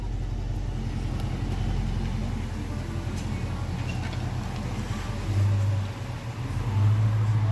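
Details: Dodge Charger R/T V8 while driving, heard at the front, worse when slowing: deep, uneven low knocking about four a second, traced to a loose driveshaft center support bearing. Finding: loose driveshaft center support bearing knock.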